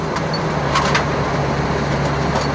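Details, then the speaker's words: 2005 Chevy Astro van after overheating repairs with new radiator, 170° thermostat and replacement fan clutch (third): steady engine hum, low drone, no fan roar, fan clutch barely audible; normal fan clutch operation, though temperature still runs slightly high. "so now it sounds like it's supposed to sound now you can't hear that thing hardly at all"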